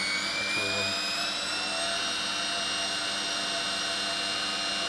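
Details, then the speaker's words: 1996 washing machine commutator motor after new bearings and brushes: a steady high whine with even brush hiss and no brush sparking. Runs smoothly, though slight rumbling is noted and the drum bearings may need work. "I'm gonna see if there's any brush fire. And there is none. Sounds good to me."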